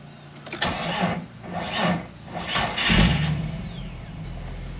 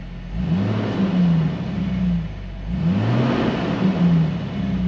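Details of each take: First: 2000 Jeep Wrangler Sport TJ after fuel tank and skid plate removal and reinstall: starter turns over in several long bursts before the engine catches near three seconds and settles into a rough, uneven idle; an extended crank before starting. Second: 2000 Jeep Wrangler Sport six-cylinder, just started in neutral after replacing the rotted fuel tank skid plate, no leaks: two clean free revs rising and falling smoothly, no knocks or rattles; normal revving.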